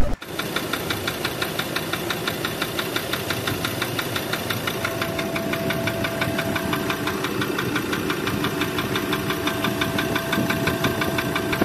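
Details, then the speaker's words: 2021 Ford Ranger with 28,000 km under brutal use, diesel idle: sharp knocks about three per second, steady; suspected injector or internal engine knock, unconfirmed; engine later opened by owner's mechanic. "Aí eu falei pra ele, cara, por esse barulho, ou é bico, ou é motor mesmo batendo, parte de motor ali."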